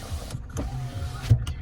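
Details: Lada Vesta SW Cross passenger power window after the door was disassembled and reassembled: steady low motor hum with no squeak, ending in soft clicks; operating normally.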